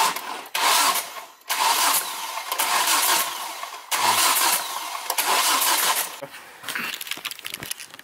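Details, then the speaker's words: 2006 Volvo V70R manual, RN 5-cylinder, cranking with no oil pressure: repeated starter whir with loose metallic clatter, no firing; VVT (cam phaser) hub failed, judged blown. "what's the verdict she's blown you heard it damn it"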